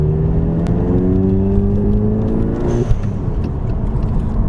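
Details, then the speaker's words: 2017 VW MK7 GTI S 6-speed with JB4, CTS blow-off valve refitted after spring check, freezing 30s weather, on drive: revs climb then a short airy whoosh on lift-off, sound quality unchanged; normal blow-off valve release. "Just right off the rip, it doesn't seem to be losing any sound quality, which I enjoy, because this is what I like the most about this CTS blow-off valve."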